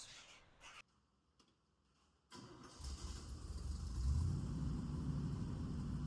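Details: 1963 Chevy C10 small-block V8 after new muffler fitted, previously very loud open exhaust: short crank then soft even low burble; quiet, healthy, well-muffled exhaust note.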